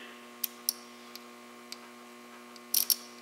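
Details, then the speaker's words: Automotive relay, cover on, coil energized from battery charger on low amp setting: crisp sharp clicks over faint steady electrical hum as the coil pulls in the contacts; relay switching normally. "and we should hear that relay click that's the first indicator that our relay is working"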